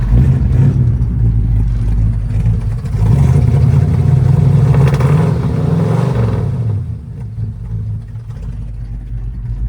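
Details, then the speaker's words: 1968 Ford Fairlane 500 Fastback V8, sat eight years, warming up parked while its no-shift fault awaits a fluid check: deep burble rises on a rev and settles to a steady idle, with no ticking or knocking. Engine sounds healthy. "Engine itself sounds great. I hear zero motor noise, so I'm happy about that."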